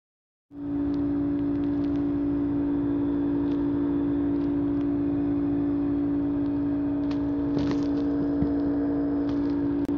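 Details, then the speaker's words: Old GE refrigerator: loud, steady, unrelenting low hum that worsened over two days as the compressor struggled and overheated because the condenser fan had stopped turning. "hello everybody this is my general electric refrigerator it's been making this humming noise that you hear for a long time now and it wasn't stopping and even though the refrigerator was working i took the back off and this fan right here that's turning right now it wasn't turning"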